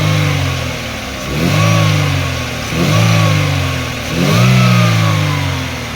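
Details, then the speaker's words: Chevrolet Aveo manual with previous hard start, low power, misfire and heavy vibration, after repair: revs rise and fall smoothly with no stumble, miss or shake, vibration gone. "So ngayon paandarin natin makina at observe po tayo start soan po mga nawala na yung vibration"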